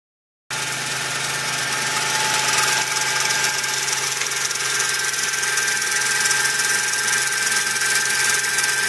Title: My 2004 Toyota Tacoma V6 is making a strange noise